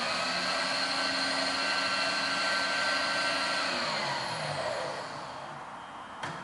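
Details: Bridgeport Series 1 belt-drive milling machine with 2-axis DRO, recently serviced with new pipes and oil distribution bars: smooth, even hum with a steady high whine that winds down cleanly at the end; running healthy.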